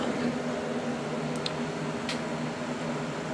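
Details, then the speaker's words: Device running on battery backup during a power outage: steady low hum with a rough, buzzy drone over the fan's whir; owner suspects the fan bearings, not confirmed. "it's still making that noise I think it has to do with uh either bearings or"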